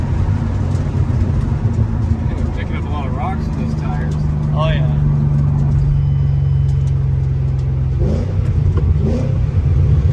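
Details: Ford Mustang GT 3-valve 4.6 V8 after new engine, clutch, flywheel and headers install, driven on first start: steady deep V8 rumble rising smoothly as the car pulls away, no knocks, ticks or misses; clutch smooth; normal running.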